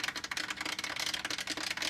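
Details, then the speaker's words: Fluval 206 canister aquarium filter, about two years old, with a leaking gasket: with the valve opened all the way it gives rapid, uneven, thin high-pitched crackling and rattling, no low hum, and no clear cause. "one thing that's weird is if I open this up all the way right now listen to this so that's opened all the"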